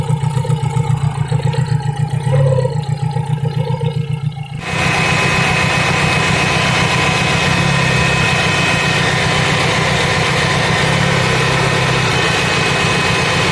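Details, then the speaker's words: Fiat Punto idle misfire check. Lumpy, uneven idle with a periodic stumble, tone shifting as leads are pulled. Pulling the cylinder 4 lead leaves the shake unchanged, so that cylinder is suspected. A leak tester later confirms the fourth cylinder's high-voltage lead is leaking. "The frequency of the same shaking has not changed, it may be a"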